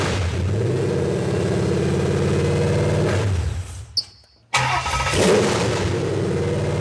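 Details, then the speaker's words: Supercharged Ford SVT Lightning V8 run on a pallet for its first start, mass airflow sensor disconnected: loud idle fades and dies within about four seconds, then cranks and catches again; it stalls whenever throttle is applied, cause unconfirmed. "as soon as i give it throttles when it dies all right start up again we'll let it run for a second oh we can't give it throttle guys"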